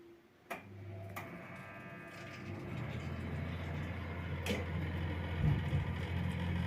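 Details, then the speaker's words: Old Ariston wall-vented (flueless, through-wall) gas heating boiler starting in heating mode: loud, rough low hum with uneven rattling buzz; owner unsure whether combustion air fan or circulation pump. Noisy combustion fan or circulation pump. "Ви чуєте як шумить турбінка яка викачує повітря в камеру згаряння ми не могли зрозуміти що це Чи це насос циркуляційний чи Це турбінка"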